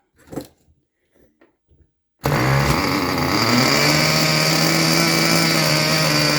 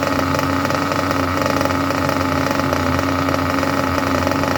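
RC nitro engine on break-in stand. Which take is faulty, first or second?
first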